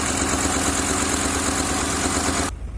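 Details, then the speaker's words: 2003 Honda Accord V6, first start after engine swap (previous engine had rod knock); lumpy, stumbling idle with flashing check engine light, one or more cylinders dead, oil had been seen in cylinders by borescope; misfire. "So we have a flashing check engine light. Obviously some cylinders are dead, or a cylinder is dead."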